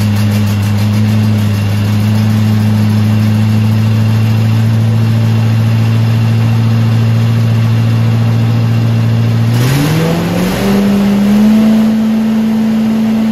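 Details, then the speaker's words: Billy Goat leaf vacuum started after an impeller replacement, service and new pull cord: steady, even engine hum with a clean low drone, then a smooth rise in pitch; the impeller isn't hitting and it runs normally. "okay sounds good well that's how you change fan or impeller whatever you want to call it on a billy goat lead that"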